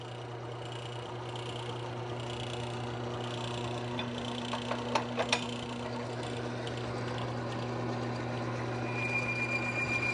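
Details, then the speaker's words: Lubrication test rig after removing the contaminant and drying the surface: steady motor hum, then growing scraping and a thin high squeal; metal-on-metal contact friction until the bearing seizes. "Now you can start to hear that contact friction, and there, our bearing is seized."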